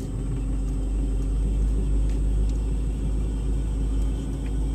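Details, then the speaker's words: Pontiac G8 GT V8 with Kooks 1-7/8in LT headers, x-pipe and tune, idling stopped with brakes on: deep uneven loping rough idle, plus some rattling of unknown source. "so there's a rough idle."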